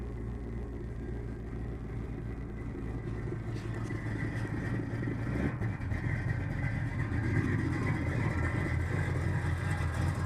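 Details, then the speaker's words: 1971 Chevrolet El Camino 5.0L V8, cold just after startup on electric choke, smoking slightly: deep V8 burble with a slightly fast, uneven lope; normal cold idle on choke that steadies once warm and the choke disengages. "Alright, once it's warmed up, that electric choke fully disengages and the idle gets a little more steady"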